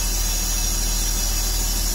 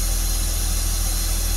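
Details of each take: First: 2003 Porsche Boxster idling during cleanup of unexplained oil buildup on top of the engine (owner wonders about the air-oil separator): steady even idle with no vacuum leak hiss or whistle. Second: 2003 Porsche Boxster, parts for a tune-up not yet fitted, dirty air filter found: an even steady idle with no missing now, but a constant airy hiss, as if sucking a lot of air; cause unconfirmed.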